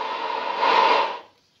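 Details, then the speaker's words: 1990s ICOM IC-820 2 m/70 cm multimode transceiver after PLL repair (two capacitors replaced, board cleaned and degreased): brief smooth even hiss; PLL no longer drops out, receiving on both receivers. "Nie zrywa nam PLL. Odbiór jest, jak słychać, na dwóch odbiornikach."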